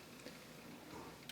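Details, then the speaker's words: Yamaha KX-W262 cassette deck, deck B: two sharp mechanical clicks over faint hiss as play is pressed; transport rewinds and fast-forwards but won't engage play, while the deck had also been eating tapes; cause not yet confirmed. "you can see if I hit play it kind of tries to fast forward or something it'll rewind it'll fast forward but it won't play"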